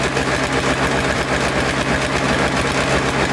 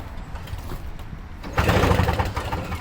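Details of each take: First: Toro Snow Commander snow thrower two-stroke, after fresh fuel, fuel line hooked up, choked and primed: steady fast idle, even pulse, no stumbling; ignition switch suspected faulty (stalled when wiggled), carburetor may still need cleaning. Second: Toro Snow Commander two-stroke snow thrower tried with brake cleaner sprayed in; the owner suspects it may be flooded. A pull, then a second of ragged sputtering pops that never catch; cranks but fails to start.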